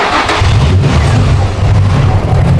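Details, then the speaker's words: 2004 Infiniti G35x with a used ECM installed for P1122/P1126 throttle-control codes: a low, wavering engine note that bogs and won't take throttle, near stalling. MAF fault confirmed, suspected debris on the mass airflow sensor. "Let it idle. So we got a MAF issue for sure. I'm gonna pull this apart and see if there's something, piece of debris stuck on the mass airflow."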